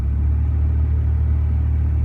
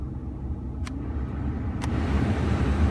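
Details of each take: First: 2011 Ford F-150 with engine running, blower turned up to a higher fan speed: heavy, steady low drone; loud blower motor, owner suspects bearings or debris in the squirrel cage, before replacement. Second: 2011 Ford F-150 after blower motor cleaned out for loud blower noise: smooth airy rush building as fan turned up, no ticking, squeal or rubbing; blower running normally.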